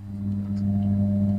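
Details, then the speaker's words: Amplifier under repair for sparking in the speaker line, speaker connected, volume at full: a steady low hum from this good channel, normal and harmless, unlike the other channel that sparks. "sekarang saya coba untuk menyalakan Hai jadi di sini ada kedengar suara dengungan seperti ini"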